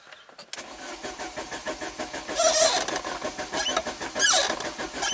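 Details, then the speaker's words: 1993 Saab 9000 CSE Turbo, dead six months, with its water-flooded engine computer plugged in and a battery booster attached: the starter churns unevenly for several seconds but the engine never fires. Crank, no start. "of course not that would be too cool now it does have traction control TCS control nope no luck"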